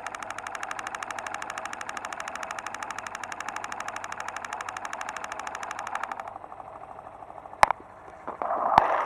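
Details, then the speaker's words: New motorcycle engine heard through a listening probe: fast, even, steady ticking from internal and valvetrain parts. Normal noise; the engine has no fault. "o elton estes ruídos que eu acabei de ouvir mesmo a moto sendo nova isso significa que o motor está com problema claro que não"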